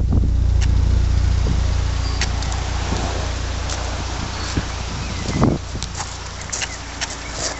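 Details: 1980 Leyland Mini started after about three months sitting, with water topped up and choke now off: low steady even putter at idle with no knocks or misses, a few light handling clicks; running quietly and healthy.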